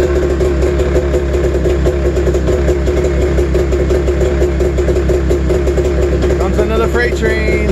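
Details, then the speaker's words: Snowmobile two-stroke cold-started at 28°F early morning; uneven, lumpy idle with lopsided stumbling beat, sounds like running on one cylinder, starting to lighten up; owner suspects bad gas. "train so sounds like it's running on one cylinder oh you can hear it a little bit it's starting to lighten up"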